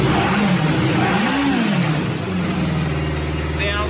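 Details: Restored 1977 Kawasaki Z650 four-cylinder motorcycle, just finished by the mechanic, revs up and settles smoothly. Clean, even throttle response with no knocks or misses, so the engine is healthy.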